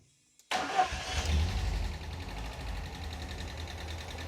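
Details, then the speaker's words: Normal start and idle of a 1988 Ford Escort after refurbished Bosch K-Jetronic metering head reinstalled with fresh fuel: sharp crank, engine catches, flares briefly, settles to steady even idle. "Running. It's running. >> Oh. >> The wheel's turning. The wheel's turning. That's what a car sounds like."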